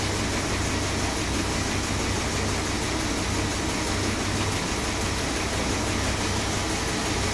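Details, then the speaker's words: Rebuilt 440 big block V8 in a 1966 Chrysler New Yorker, first start just after install: even, steady idle with smooth rumble, no knocks or misses; normal idle. "she's running sweet it's amazing my first rebuild she sounds Lush nice"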